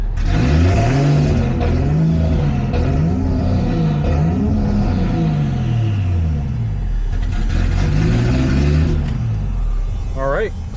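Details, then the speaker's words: Toyota Cressida after fuel pump rewiring: engine runs but revs surge up and sag about every second; idle air valve stuck fully open even when commanded closed, partly blocked with a bag to hold idle. "Unfortunately, it's not working. We actually had to plug the idle valve partially with a bag to get it to idle good, but the valve is like just completely open regardless of what's happening."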